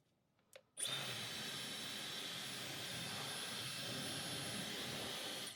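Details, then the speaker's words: Dyson HD03 Supersonic hairdryer after fitting a brand new motor, on speed one. It previously shut down after a few seconds and the motor sounded strange, owner suspects hair wrapped inside the old motor. Steady high rush, smooth whine. Normal running, fixed. "That's fixed. That's fine."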